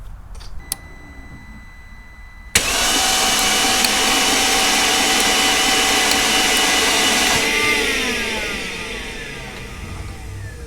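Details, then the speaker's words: 2008 Mercedes CLK350, 129k miles, previously seized engine, after removing spark plugs, adding penetrating fluid and rocking with a breaker bar: quick even whirring starter crank, spins freely with no binding, then spins down; unseized. "It started to move after I removed this spark plugs and put some penetrating fluid, and now it's spinning freely by starter."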